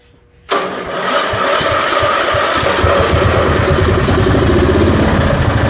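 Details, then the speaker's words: 1974 Dynastar lawn tractor barn find, sat about 30 years: quiet, then catches and settles into an even thump about four per second; normal start and idle. "well how about that she don't sound too bad there does she well be dog gone after 30 years she does run"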